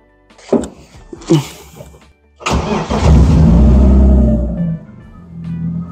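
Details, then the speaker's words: BMW E30 Touring, M50B25 engine, test start after refitting the ignition coils: short crank catches quickly, flares, then settles to an even idle without stumbling or missing; normal start, no problem. "vous faites un démarrage pour voir si il y a pas de souci si le moteur il tombe bien s'il y a pas de raté et cetera"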